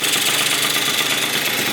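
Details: Yamaha BWS 70cc two-stroke scooter, freshly rebuilt, first heat cycle in cold weather: steady, even buzzing idle with no knocks or misses; healthy idle.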